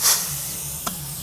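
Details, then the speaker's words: Mazda 3 automatic transmission removed and apart on the bench: air sent through the servo hole gives a short hiss, then a faint single tap as the servo strokes and the band applies normally; suspicion shifts to the valve body or sealing surfaces. "Fluid pressure pushes it up and it it'll exhaust out of that hole. You can hear it"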